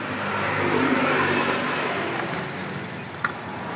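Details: Scooter CVT centrifugal clutch (kampas ganda): engine revs, then on a sudden throttle release a rough, regular knock comes from the clutch as it drops off, pointing to worn clutch shoe holder holes.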